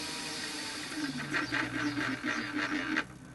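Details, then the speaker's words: Mini lathe head at very slow spindle speed: quick, rattly chatter pulses over quiet motor hum about two seconds, then stops; occurs only at very slow speed, otherwise silent, cause unknown. "It's just got that sort of chatter point. Dead slow seems alright, and then that. Don't know what that is, but it only does it when you're going very slow."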